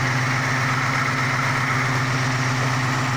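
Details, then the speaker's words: Ford Mustang with 302 stroked to 347 small-block V8 and 750 cfm double-pumper carburetor, running after sitting two years and an ignition rewiring: even, steady idle with firm low burble, no misfire, tick or stumble; sounds healthy. "but as you can hear here she is running good sounding good it's sounding amazing"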